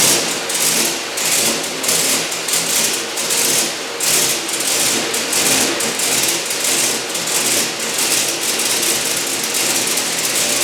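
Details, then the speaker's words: Turbocharged 1961 Chevy pickup at first start, with a newly rewired throttle actuator and the original throttle actuator controller. The engine catches and surges unevenly with no steady idle, blamed on a faulty throttle actuator controller that a junkyard unit later improved; pedal still suspect. "Pretty sure I had a faulty throttle actuator controller. Found one at the junkyard, so I put that in and it's a lot better."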